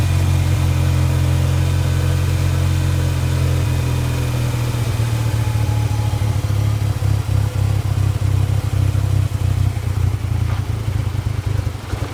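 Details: Ford Ranger 2.3 truck idles roughly with a deep uneven drone that stumbles, sputters and bogs, despite a cleaned MAF, throttle body and air filter and new plugs, wires, coil pack, PCV valve and TPS. A vacuum line was found disconnected. Cause unknown.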